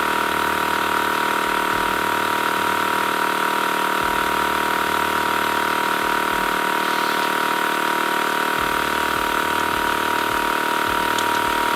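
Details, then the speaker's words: TACKLIFE M1 tire inflator on a car tire at 22.8 psi, aiming for 35 psi: the small compressor drones under a constant airy hiss. The chuck leaks at the valve stem even when screwed fully down, and the tire loses more air than it gains. "all right and already you guys can hear the hissing it is definitely letting air out"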